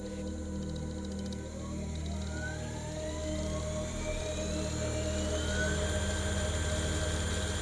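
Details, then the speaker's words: Old car alternator converted to a brushless motor, driven by a brushless controller at 55 V DC supply: smooth electric whine climbs steadily as the potentiometer raises speed to maximum, even hum, no grinding; very quiet, high torque. "Chúng tôi đã đạt đến tốc độ động cơ tối đa. Nó có mô-men xoắn cao đến mức nếu chúng ta tăng tốc đột ngột, động cơ sẽ nhảy vọt. Nó rất yên tĩnh và rất mạnh mẽ."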